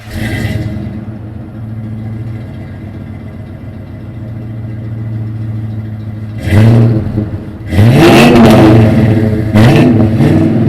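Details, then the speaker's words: Truck after exhaust repair with a new muffler replacing a blown-out one, rotted pipe patched and a bracket rewelded: quiet, even idle, then clean revs rising and falling with no rasp, rattle or leak; quieter, free-flowing exhaust. "okay so you could hear the exhaust sounds a lot better um it's definitely quieter until you get into it and uh it's pretty free flowing"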